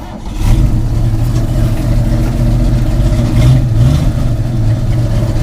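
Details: 1957 International pickup (three-speed, welded shift handles on worn linkages): engine catches quickly and settles into a deep, even rumble, swelling cleanly when revved; healthy old truck motor, starting well every day this week.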